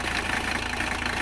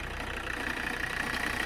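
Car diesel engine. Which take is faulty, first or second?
second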